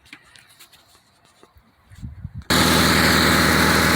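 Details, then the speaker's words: 2006 Mitsubishi Outlander at start-up: the engine catches with loud, rapid puffing and hissing at each firing pulse, coming from the leaking exhaust manifold gasket. "so this is the sound you gotta listen for. Coming from this, it's coming from right at the exhaust system right here. Okay, so most of it coming from between the gasket."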